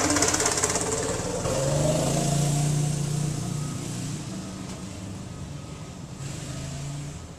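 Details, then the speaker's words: New 6.5 hp single-cylinder engine, choked and started with one or two pulls: fires up and runs at a steady, even drone, then pulls away under load with no knocks or misses; normal running. "what's up guys this is the uh the new six and a half horsepower engine I'm gonna start it up and go for a little drive down into a flywi so you guys can see it"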